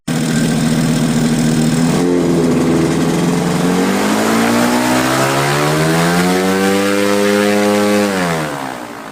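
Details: Quicksilver ultralight with new 3-blade Warp Drive propeller, warmed up, static ground run climbing to about 6,200 RPM full throttle, holding steady, then throttling back cleanly with no misses or roughness. Normal full-throttle run-up.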